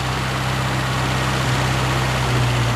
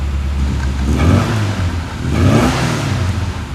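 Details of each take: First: 1974 Mini Cooper: holds a fast steady idle that won't settle; pushing the misadjusted choke cable in doesn't return it to idle, must drop manually; throttle cable JB welded. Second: 1974 Mini Cooper, manual choke pulled, two pumps: small four-cylinder starts easily, then two smooth even throttle blips rising and falling, no misses; normal start and rev.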